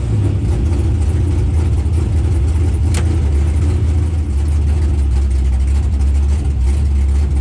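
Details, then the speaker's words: LS-powered Camaro drag car at the strip: missed its 1-2 shift because the shift RPM was set to 7,900 instead of 7,000. The deep V8 roar holds flat at the top, popping and crackling as it bounces off the rev limiter. "The car didn't shift on the 1-2 shift. Somehow my shift setup for the RPM selector is set for 7,900. So it went from 7,000 to 7,900."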